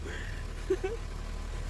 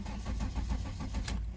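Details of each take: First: VW Golf 3 (Mk3) that would not start, after repair of the ignition system (coil, plugs, distributor rotor replaced by owner; Hall sender faulty): low, steady idle with no misses or stumbles; engine starts and runs evenly. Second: VW Golf 3 (Mk3) petrol that stalls while driving or won't start, with a new ignition coil, spark plugs and distributor rotor already fitted: even starter cranking at about seven pulses a second with no firing; the cause is a faulty Hall sender.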